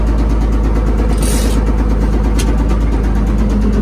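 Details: Old Komatsu WA180 wheel loader diesel running heavy with a deep regular knock about three times a second over the engine noise; rod knock from a worn rod bearing, engine died and owner considers it finished.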